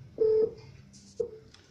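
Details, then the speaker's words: Technosat T-888 Plus Ultra satellite receiver used as a satellite finder, dish being aimed at Intelsat 20; a low, steady repeating beep means no signal lock yet, and the beep changes once the signal is hit. "You will hear a different beep when I hit the signal"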